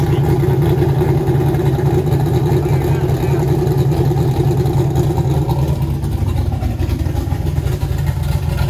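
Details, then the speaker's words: Turbo LS Mustang built for 1000+ hp, new Aeromotive fuel system, first fire-up; deep choppy loping rumble about 900 rpm, steady with no misfire, air-fuel ratio right on; normal big-cam idle. "what do you think that cam sounds nasty"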